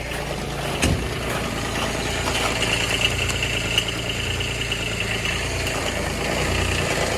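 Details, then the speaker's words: Kubota RTV900 diesel at -8°F after fuel gelling: settles into a steady low cold idle with a faint clatter, deliberately left unrevved so the added fuel treatment can circulate through the tanks. "i don't want to rev it up and get anything cranked up i just want to leave it if you let it idle for a little bit it generally does pretty decent"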